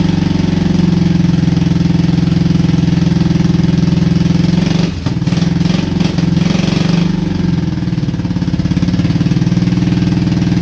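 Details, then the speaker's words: Honda Shadow V-twin, 20k miles on the same oil, parked four years: loping, uneven idle around 75 beats a minute with a stumble, sounding like one cylinder. Rough idle; owner suspects sticking valves from no oil changes. "Running on one cylinder? Yeah, that sounds awesome."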